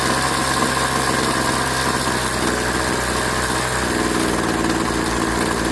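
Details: Craftsman 21cc Bushwacker two-stroke hedge trimmer after sitting nearly a year, blade disengaged: steady buzz shifting cleanly from idle to full throttle near four seconds with no cutoff; running solid, owner leaves low/high carb settings untouched.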